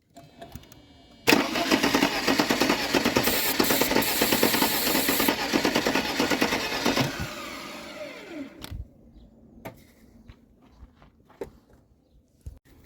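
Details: Mercedes-Benz W201 190E parked in a field since 2008, start attempt with a fuel line off the distributor and starting fluid: steady starter cranking with even compression beats for about six seconds, never catches.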